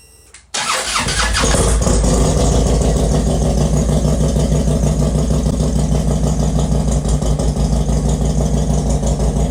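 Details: Harley Road Glide after teardown and rebuild (metal was found in the oil), with cylinders, exhaust and cam cover reinstalled: a quick crank, then it fires and settles into an even, loping potato-potato idle with no knock or tick. It runs normally.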